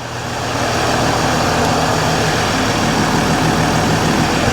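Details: Mercedes ML350 with a rebuilt replacement engine, just after first start, not yet up to temperature: steady even clatter at idle, no knocks, misses or hunting; idling healthily.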